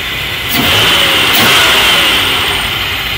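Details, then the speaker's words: 1990 Chevy Beretta with a very rough idle, later traced to a bad intake manifold gasket, sealed with silicone: the engine blips smoothly and returns to an even idle, still slightly shaky. "quite crazy that silicone fixed it but I don't know if the engine's running better yet because I haven't driven it seems to run fine a little shaky but"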